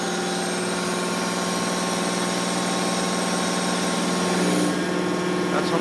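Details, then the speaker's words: Large hydraulic gear motor run clockwise as a pump on a test bench. Loud, steady whine with an even buzz, pitch constant as pressure rises, flow dropping only slightly. No knocking or weird noise: normal. "the flow drops not much at all fly sound like the these larger ones always are a little louder anyway but it didn't make like that weird noise"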